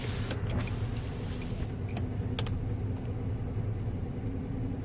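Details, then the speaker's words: Former government 2007 Chevrolet Uplander wheelchair van with 208k miles, parked and idling during a power window test: a steady low whir of the window motor, smooth and even with no binding or grinding. Normal window operation. "Before we get it out on the highway, I always like to show that we've tested the power mirrors, power windows."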